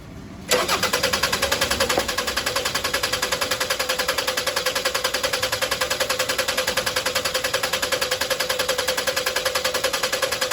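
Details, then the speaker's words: 2001 Toyota Highlander 2.4L four-cylinder, fuel pump already replaced: even cranking about 3.5 beats per second without starting, fuel pressure only reaching about 15 PSI and dropping fast; extended crank, leaking fuel pressure regulator diaphragm. "you can see it's taking time to build up pressure. We're getting up to like 15 PSI. At this point, the engine's not even really starting."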